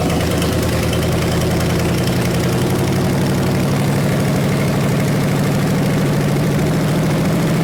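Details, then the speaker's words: 1974 Chevy 454 big block that sat 20 years, running on a stand: a deep steady idle with even firing, no rod knock and good oil pressure. It runs smoothly until it runs out of fuel. "well we got good oil pressure so um and it sounds good there's no Rod knocking"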